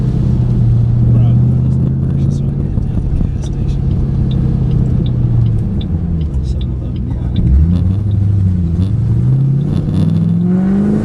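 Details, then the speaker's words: 2008 Ford Mustang GT on the road after MSD Blaster coil-on-plug set replaced coils (dealer reported 5 bad), no longer misfiring where it used to: V8 pulls smoothly through rising and falling revs, steady even note, no stumble or miss. "Although last time, by the time I got here on the last ride, it had already started misfiring. It's not doing that right now. So far so good."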